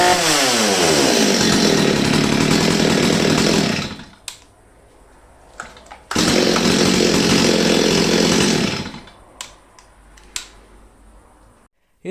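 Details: Old STIHL 023 chainsaw, previously bogging and stalling, after the carburetor was adjusted by screwdriver: two long full-throttle runs, crisp steady high revs with no bogging or stumbling, then a clean drop off; running strong and healthy.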